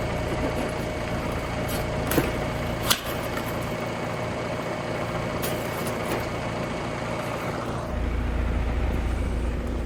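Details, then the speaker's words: Trane AC unit on a hot day with the house at 86°F: only the fan's whoosh runs, then a brief low electrical buzz as the compressor fails to start. The run capacitor is bad and was replaced. "I heard that momentary death buzz a couple of times."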